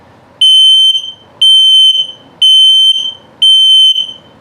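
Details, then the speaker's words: 2021 Flagstaff Super Lite 528RKS, carbon monoxide/LP gas detector in test mode: loud high-pitched beeps about once a second, four in a row with short gaps, a normal self-test that then returns to green. "that's just the test mode. That's what it sounds like. And it's back to green."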